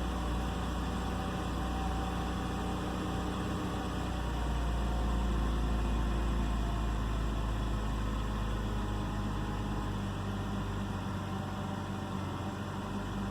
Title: 2009 BMW 328i xdrive coupe misfire and idle problem 1